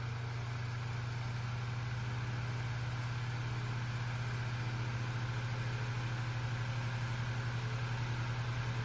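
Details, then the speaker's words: Vintage Lasko fan with stock blade on high speed: loud steady low drone with faint rhythmic throb; blade out of balance with little pitch makes it run too fast and louder than needed. "And this blade being out of balance and not having much pitch to it makes it run too fast and makes it louder than it needs to be."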